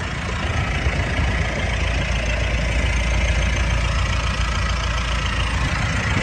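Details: 2018 Mitsubishi Pajero Sport 2.4GT diesel, 160,000 on the odometer, idling, heard at the front of the vehicle. A smooth, steady low idle with little vibration and no knocks, misses or rattles. Normal diesel idle.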